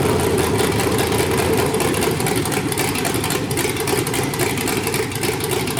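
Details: 5.3L LS truck engine on MegaSquirt 2 with newly wired stepper idle air control, after adjusting IAC settings: even V8 idle, no hunting or surging, coming down smoothly to target idle as expected.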